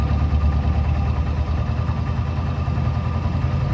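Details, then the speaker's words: 1990 Jeep Wrangler YJ 2.5L 4-cylinder with starting problems despite fresh tune-up, plugs, oil and fluids: low rough idle with an uneven thumping knock when foot is off the gas; knock source not pinned down. "now you hear that knock that sometimes happens when my foot is not on the gas and where I just wanting to start a lot it wouldn't start sometimes"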